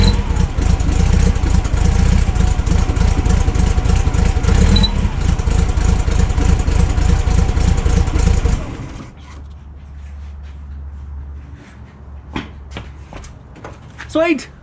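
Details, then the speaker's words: VW Kombi engine with a freshly rebuilt carburettor just fitted and not yet tuned runs rough: an uneven, lumpy idle with an irregular beat for about eight seconds before shutdown. "it runs um as you can hear doesn't run the best so time to get some tuning"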